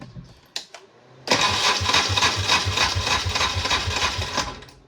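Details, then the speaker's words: 1994 Polaris two-stroke 4x4 quad, long-sitting, in neutral after quick-start spray; starter churns about three and a half pulses a second for three seconds without firing, owner suspects a weak battery. "let's give a sh a quick start there might not be enough juice left in the in the battery and that wouldn't surprise me if that was a [Music] case"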